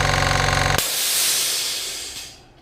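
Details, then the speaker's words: 1100W 50L silent oil-free two-cylinder air compressor, new; rapid even pumping thrum cuts off into a loud steady hiss as it reaches working pressure; normal unloader air dump, the loudest part of operation. "when it gets to the working pressure you'll hear it dump dump the a uh that's the loudest part of this operation is when it dumps the air"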